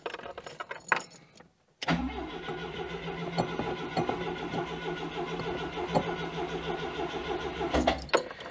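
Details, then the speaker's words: 1992 Oltcit (Romanian-built Citroen design) after long storage, cranks steadily but won't catch. The carburettor needle moves, but near-fluorescent stale fuel and crud remain in the tank, starving it. "the needle seems to be moving but yeah look at the mankind there there's almost fluorescent fuel so uh yeah still some crud in that tank"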